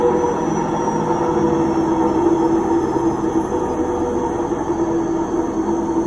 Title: Noisy Washing Machine